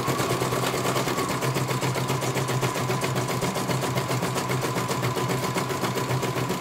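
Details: CNY computer embroidery machine serviced from Banjarnegara, Central Java, that arrived with its motor (dinamo) not turning at all and the bobbin case missing; fast, even stitch ticking over smooth motor hum, one colour finished very well. Normal stitching.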